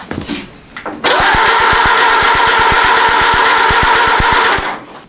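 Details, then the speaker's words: Ford AA Doodlebug tractor engine, start attempt after timing and setting distributor point gap, spark confirmed and starting spray used: even starter cranking about three compression beats a second for nearly four seconds, never fires; cranks but will not start. "not run on spray like I thought it would you got one more trick up my sleeve"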